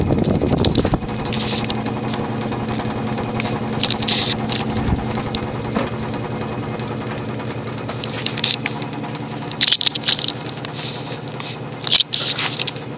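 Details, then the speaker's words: Late-1970s Emerson (Sears) 52" friction-drive ceiling fan, solid-state variable speed, at full speed: steady whirring hum with uneven ticking and rubbing each turn; running knock from a deformed rubber drive wheel on the metal hub. "n yeah the friction drive is loud as hell especially when the drive wheel has a deformity"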